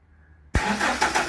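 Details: Toyota Hilux 2.7 VVTi petrol double cab, after fuel tank sender unit replacement and wiring polarity reversal: quiet, then a brief crank and the engine catches at once, settling into an even, steady run; a clean, healthy start.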